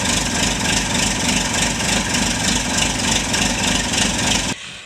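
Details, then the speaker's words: Chevy Malibu returning after timing component replacement (it previously sounded like wrenches inside the engine); the owner reports it runs fantastically. It starts right up and idles smooth and even with no rattle. Normal start and idle. "see it starts right up engine sounds nice and smooth so she's been really happy with it"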